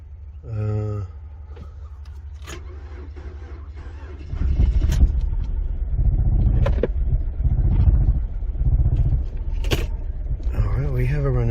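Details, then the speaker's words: 2003 Nissan Altima 2.5 L four-cylinder, from auction with a crank-no-start complaint, after repair and an ignition key relearn: a chime and click, then a steady low rumble holding even. It missed briefly, then cleared by itself; normal running with no misfire. "or was missing a little bit and then it cleared by itself everything is nice it's not misfiring"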